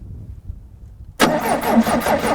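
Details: 1975 Pontiac Astre, first crank after sitting 20 years in a field, with no radiator: the starter engages suddenly and drags the engine around slowly and unevenly, each compression stroke heavy.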